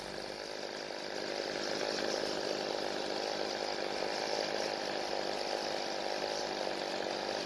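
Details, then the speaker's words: Weedeater two-stroke trimmer that dies when the throttle is squeezed; idle (L) screw richened. Engine speeds up and runs fine after the first richening, then bogs slightly with more fuel. Speed change from mixture adjustment. "we able to hear that the engine changed both times when I added fuel the first time the engine speed increased and it ran fine but I added more fuel the second time it actually slowed the engine down"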